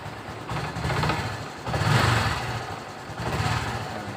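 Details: Honda Supra X 125 fuel-injected motorcycle stutters and chokes on each throttle blip; it was also hard to start with a blinking check light (7 blinks), which the mechanic reads as the engine oil temperature sensor faulting.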